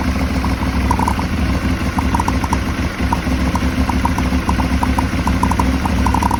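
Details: Aprilia Shiver 750 V-twin with rough idle: uneven, lumpy beat with scattered light ticking over the rumble; owner suspects throttle body problem, unconfirmed.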